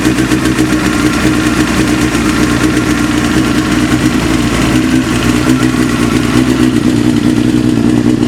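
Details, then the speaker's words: Motorcycle 954 at idle while warming up: steady idle with fast, even ticking knock over the exhaust note; knock quietens as engine warms (nearly gone by 40–50°) and slightly with clutch pulled in; source undetermined. "прогревается, тем тише звук вообще становится. Я, кстати, попробовал, когда сцепление выжил, звук потише чуть-чуть стал."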